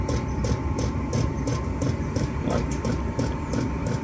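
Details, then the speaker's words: Chinese diesel heater running with its fuel pump mounted on the case: steady, rapid ticking, about three per second, over a low heater rumble; the noisy pump vibrates the case. "just to the pump there you go that's pretty noisy other cases vibrating"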